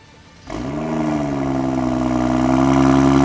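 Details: 2012 BMW F30 335i, N55 inline-six, RWD, on jack stands, first cold start after VRSF catless downpipe install: starter catches, steady even fast cold idle with deeper louder exhaust, no ticks or leaks heard; normal cold start idle.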